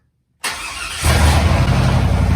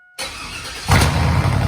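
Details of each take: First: Tahoe after fixing a no-start fuel pump fault: quiet, then fires and roars very loud with no mufflers, settling into a steady even idle with no misses, quieting a little after a moment; normal start and idle. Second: 2002 Chevy Tahoe bought cheap, exhaust running without mufflers: engine fires and jumps to a loud, deep, raw, undamped rumble; excessively loud exhaust, runs okay otherwise.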